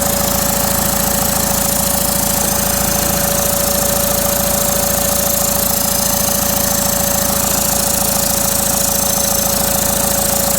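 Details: Common-rail TDI diesel idling. A loud, steady high whistle rides over an even clatter: a noisy, failing turbocharger.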